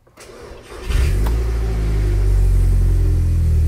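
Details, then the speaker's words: Audi S3 8P 2.0 TFSI after engine blow-up repair, cranked with coil packs unplugged to build oil pressure then cold-started: starter churns, settles into steady, even fast idle, no knocks or ticks; healthy. "that sounds pretty good not any worse than most of the size what do you guys think"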